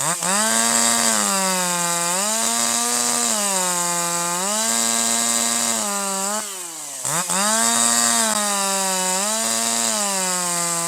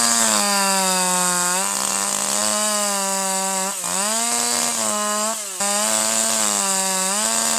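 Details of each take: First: Older piston-ported chainsaw with H screw at 1.25 turns out: higher RPM, crisp clean rise and fall, slight four-stroking out of the cut, smooth powerful running in the cut, excellent throttle response; high-speed mixture correctly set. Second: Older manual piston-ported chainsaw, H screw set too rich: high wailing at full throttle lifted out of cut breaks into burbling uneven stutter; leftover fuel and soot stop ignition so cylinder skips firing, rich four-stroking.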